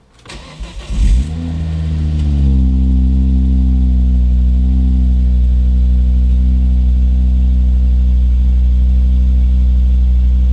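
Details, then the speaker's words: Volvo V50 T5 cold start after sitting about 18 hours, wind guard off, windows down, being checked for exhaust manifold squeal: cranks, catches and settles into a smooth, steady idle with no squeal at all. "guys heard that absolutely no squeal today"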